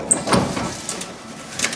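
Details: 1968 Subaru 360 with hand-wound window; sharp dry crackling cracks while winding the window, traced to the old door trim and vinyl sheet rather than the regulator.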